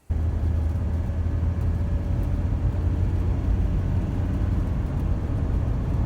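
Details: Steady low hum and howl under road roar at about 50 mph constant cruise; speed-related howling noise, cause not identified in the clip, though it turned out to be an easy, inexpensive fix.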